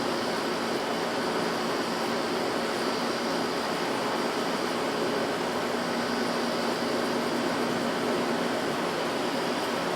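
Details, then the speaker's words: Cheap, rotted scrap window AC unit that had lost nearly all its R-22, recharged with R-152A: steady airy rush with a faint even hum, no rattles; blowing cold, coil cold, compressor sounds fine, condenser coil hot at back. "so and as you can hear i mean the compressor sounds just fine coil's hot back here"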